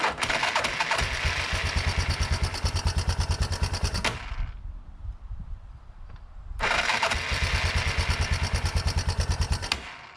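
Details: 1987 Yamaha Big Bear 350 4x4 ATV during no-spark troubleshooting: two cranking bursts, about three pulses a second, thumping hard on compression, with a loud clunk near the starter; cause unknown, possibly loose screw; ticking up top, maybe valves.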